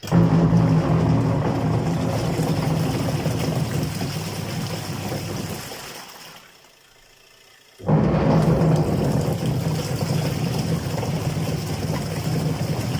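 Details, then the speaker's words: Washing machine with a faulty gearbox, which also drips water onto the motor: while running it gives a loud, steady low droning rumble with a rough growl underneath. The gearbox is to be replaced. "هذا الصوت المزعج اللي يطلع."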